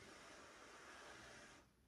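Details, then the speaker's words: Used Smena accordion with worn valves needing re-gluing and weak compression: a soft steady hiss of air escaping as the bellows move, stopping abruptly near the end. Bellows air leak. "Клапана, потому что, да, приклеить, а компрессия слабовата, откровенно говоря. Да, вот видите. Прям слышно, как он шипит."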